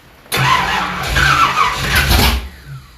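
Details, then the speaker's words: 1972 Ford Gran Torino 429 big-block V8, first start, new wiring with starter-solenoid issues: engine catches and roars while high starter whir keeps grinding underneath, then winds down; starter stays engaged after firing. "the starter keeps going see it"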